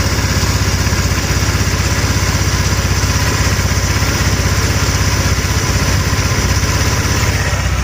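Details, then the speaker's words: 1,567-mile GY6 150cc 157QMJ scooter engine idling right after a valve cover gasket replacement: an even, steady putter with no knocks or ticks, and no oil leak. A normal idle. "No leaky leak. Idle's good. 1,567 miles."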